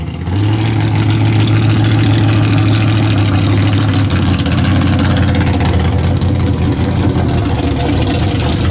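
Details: Bad Penny, automatic transmission just fitted with a new Freak Show torque converter, street test: engine pulls hard, then the note drops cleanly once near four seconds into a firm, crisp shift; normal.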